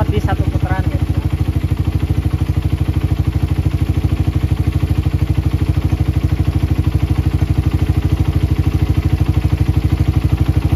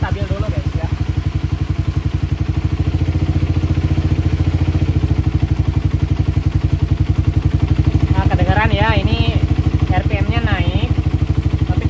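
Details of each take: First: Motorcycle with PE carburetor, engine just started, air screw adjusted for highest RPM and most stable idle: steady even putting at idle with no hunting or surging; normal stable idle. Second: Motorcycle with PE carburetor just started, air screw at half a turn: idle beats lumpy and steady, revs climb then sag as mixture goes off while searching for the most stable idle, later found at one turn with 35 pilot jet.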